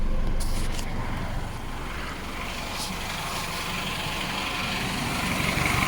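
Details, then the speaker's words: Isuzu Alterra diesel at idle after repair: steady, even low rumble, no more misfire. Earlier it misfired with low power and a check engine light (injector group B supply voltage low), caused by a chafed injector wire shorting to ground. "na ' ba hindi na siya palyado mga boss kanina palyado talaga eh"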